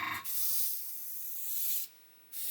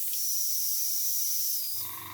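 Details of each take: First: Brand-new Gaahleri Mobius TG 0.5 trigger-grip airbrush spraying paint with the air control wound in: strong airy hiss in bursts with brief silent gaps as the trigger is released, heavy paint flow, spraying normally. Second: New Gaahleri Mobius TG 0.5 trigger-grip airbrush: a sharp, steady air hiss that shifts and fades as the air control knob is turned; with the knob wound right in there was no air, so it is wound back out.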